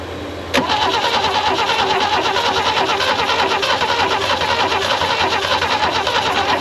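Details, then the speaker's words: Abandoned Holden HK/HT/HG ute parked for decades, cranking on fresh fuel with a little two-stroke oil added: starter turns it over steadily, about three beats a second, but it never catches. Slowly getting better, still no start. "I think the little bit oil in that two-stroke this is so tired it just couldn't fire listen to this it's getting better I'm not saying it's going to run I'm saying it's getting better"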